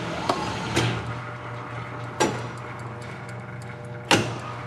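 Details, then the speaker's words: Hardinge HC-T chucker lathe with threading attachment, 8-position turret, 3 spindle speeds, running at low speed in both directions; power feed apparently disconnected from motor. Steady low motor hum, even at low spindle speed, with a few switch and handling clicks; normal running. "There's low speed. That's both directions. We'll switch this over into the second."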